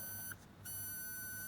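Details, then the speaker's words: Bose QC30 earbud with water ingress and corrosion, in noise-cancelling mode: thin steady high squeal in short bursts, when front port blocked; front noise-cancelling mic appears shifted, possibly unglued, likely breaking front-cavity seal and causing feedback. "凡说是降噪的耳机，它都要把这个前腔啊，进行一个密封。如果不密封或者密封不到位呢，它都会出现这种啸叫。"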